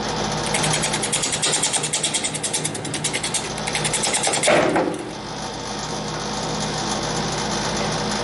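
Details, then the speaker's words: Green-wood bowl blank on lathe being trued after rough hollowing: pulsing thump about three times a second with the spin, easing after the cut settles; workpiece running out of balance. "I'm going to true up the outside because it did get a little bit out of balance all the work"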